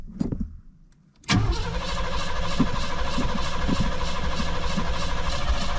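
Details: 1988 Cadillac that had not run in 16 years, with carburetor issues and a drained fuel system: it cranks and catches, then holds a low, uneven, lumpy idle with irregular misses.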